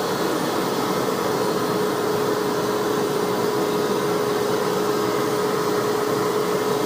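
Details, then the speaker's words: Hoover Ultra WindTunnel Self Propelled vacuum test run after tune-up with brush roll and transmission cleaned: steady even mid-pitched motor whir, no surging or rattle; motor sounds good though a burning smell was noticed. "the motor sounds good that's good motor sounds do boss Oh"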